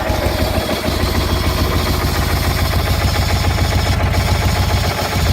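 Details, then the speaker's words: Replacement Kohler Magnum 18 hp engine for a Craftsman GT 6000 tractor, cold start in very cold weather: a steady low thumping at about 3–4 per second under a rough, rattly idle. A bad PTO bearing is suspected. "a bad bearing in the PTO plus I'm pretty sure that's making that noise"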